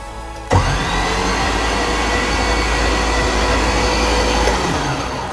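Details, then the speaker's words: Nissan 240SX with an LS swap, first turning over while the oil system is primed, ECU unpowered: steady, even starter whir with no rhythmic chuffing, as expected with no compression; cranking normally. "And we shouldn't hear the da da da da da because there's no compression."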